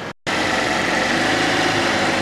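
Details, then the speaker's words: Fiat Panda 4x4 Sisley FIRE engine at full operating temperature with radiator hot, after water pump replacement; warm idle is a steady, even hum with the earlier grunty grinding gone, suggesting the old water pump made that noise. "we're up to working temperature radiator is quite hot and listen no grunty grindy noises so it looks like it was the water pump that was doing that sound"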